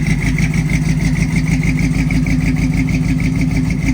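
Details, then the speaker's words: Old Chevy square-body barn-find V8 with headers and likely cam, after sitting for years: fairly steady idle with sharp ticking puff on each firing pulse; exhaust leak from headers on one side. "Definitely hear an exhaust leak on this side. It's coming from the headers there."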